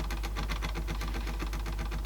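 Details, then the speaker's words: Sansui dual cassette deck, mechanism partly locked, in play after shoving it to turn: low motor hum with fast regular clicking about eight per second; tape mechanism straining, cause suspected not confirmed. "seemingly it's something yeah so that again making that noise in play so we've definitely got big faults of this thing"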